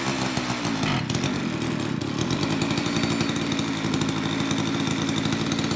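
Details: Old Craftsman two-stroke chainsaw after long storage with a gunked carburetor, cold in a shop of high 50s to low 60s °F, mixture screws untouched; even throaty burble at steady idle without surging or dying.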